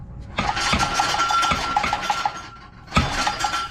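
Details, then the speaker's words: Honda Civic wagon with B20 VTEC swap and stock 1-3/4 in Civic exhaust: throttle blips bring tinny metallic tinging and rattling from underneath; muffler cracked, something else in exhaust broken, possibly resonator or heat shield, unconfirmed. "so while I was underneath the car I noticed his Muffler is cracked right there and uh something in here is also broken and something in the exhaust system is also broken I don't know it's from the resonator or a shield or something"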